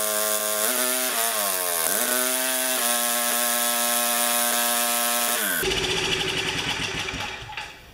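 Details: 4HP Tecumseh engine on an Ariens snowblower after an exhaust valve grind restored compression: it catches, wavers briefly as it picks up speed, then holds a steady, even buzz. Runs healthy.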